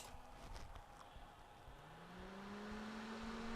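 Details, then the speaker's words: 12 V DC computer fan (F1202512 SM, 0.2 A) after disassembly and oiling its bushings/bearings: spins up with a smooth rising hum into a steady quiet whir, even lying flat; previously noisy and shaking. "That sounds much better. Oh, look at that. Runs even totally flat down."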